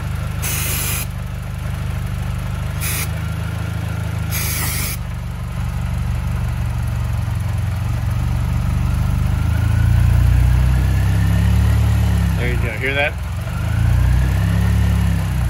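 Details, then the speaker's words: 2006 Mini Cooper S JCW (Gen 1), about 70k miles, codes P1688 and P0107, limp mode; spraying near the brake booster makes the idle lift and waver amid short spray hisses: vacuum leak near the brake booster. "so so that's my problem somewhere down in the brake booster area"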